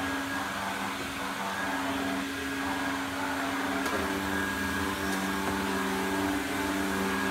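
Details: Electrolux 502 vacuum cleaner running with a better flexible hose: steady motor hum with a rough, droning whine. Noisy motor; worn motor bearings are suspected.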